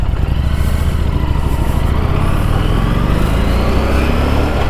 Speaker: hear that winding up. So just listen to your motor. If you don't have a indicator, you'll know exactly when to shift gears.